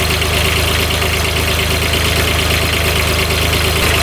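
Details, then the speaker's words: Kubota RTV900 diesel UTV (2007 or 2009), previously blowing white smoke with coolant spurting from the radiator, running after repair. Steady even diesel clatter, revs out okay, no leaks; one cylinder's firing uncertain on heat-gun check. Normal diesel running. "Seems like it's running pretty good. No leaking at all, that's just water in there."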